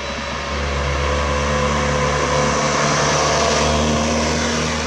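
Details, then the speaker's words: Old Citroën Acadiane bought unseen in Germany, repaired on the spot and being driven in December. A steady, even engine note with a smooth low hum and no knocks or misses. It runs fine but is slow to gain speed and needs adjustment. "it is running fine now but making speed uh is not going that well we have to adjust that a bit"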